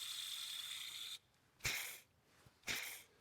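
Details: Toyota Camry serpentine belt idler pulley, removed and spun by hand: dry, gritty ratcheting rattle from worn, rough bearing; a new pulley is silent by comparison.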